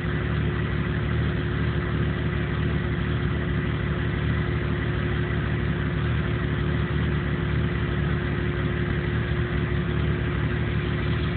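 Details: 1997 Jeep Cherokee with no trouble codes that won't idle right and dies under power; idle sounds uneven with a loose, wavering pulse and no steady beat underneath. Rough idle, cause not yet clear.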